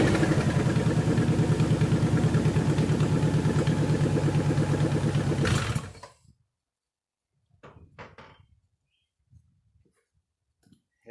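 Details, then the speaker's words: 1998 Subaru 2.5RS coupe, 5-speed, started and idling: loud, fast rhythmic puffing and ticking over a lumpy idle for six seconds, then shutoff; bad exhaust leak at the header, which the owner plans to replace. "so you want to hear how bad the exhaust leak is in this thing you really get to understand why I want to change the header out it's loud"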